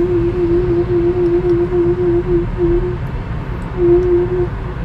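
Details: Mazda 2 1.5 petrol 103hp, steady mid-pitched tonal moan pulsing three to four times a second while driving at 10-40 km/h, worst when the car is hot, disappears when braking; source unknown.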